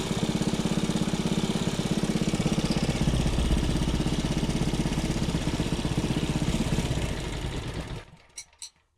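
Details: Small single-cylinder engine salvaged from a junk go-kart, running after carburetor cleaning and a point-gap adjustment: a fast, even thump at steady speed, then a clean cut-off. The engine runs healthy and strong.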